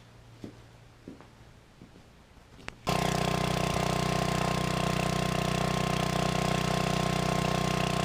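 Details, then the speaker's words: Free used generator after cleanup, started indoors: a few quiet clicks, then the engine settles into a steady, even drone without hunting at governed speed. The first run is a success. "all right well that sounds like a success"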